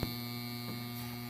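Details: International Comfort Products furnace failing to heat: inducer motor buzzes loudly and energized but will not spin, getting warm, no airflow; seized inducer motor prevents startup sequence.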